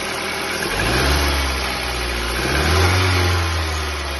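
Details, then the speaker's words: Ford New Fiesta with the Sigma engine, 121,000 km, cold first start: a hollow knock under the engine note persists as it revs and settles. Suspected piston slap from excessive piston-to-cylinder clearance; no oil loss, normal performance. "esse barulho nesse caso aqui não parou ainda ó provavelmente a folga dentro do cilindro aonde o pistão trabalha já tá uma folga bem excessiva"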